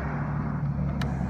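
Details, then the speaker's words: Toyota Land Cruiser 80 Series driver's power window switch, engine idling: a few sharp little clicks; window runs fully down unless switch is lifted to stop, blamed on a weak internal spring in the switch. "the only thing I don't like is the driver's side while it is working if I push it down it goes all the way down and if I wanted to stop I kind of have to lift up on it you can hear that little click"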